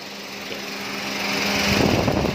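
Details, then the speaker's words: Perodua Axia with check engine light and poor A/C, coolant bubbling so temperature sensor misreads, at 130°C with fan idle: switching on aircon makes radiator fan whoosh up steadily over seconds. "Kipas pusing. Kalau kita hidupkan aircon, kipas pusing, suhu tuh akan turun."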